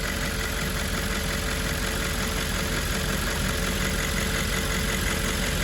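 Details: 2010 Audi S5 4.2 V8 after replacing a faulty fuel purge valve that caused a ticking noise: smooth, even low-rumble idle with no ticking over the top. Normal idle.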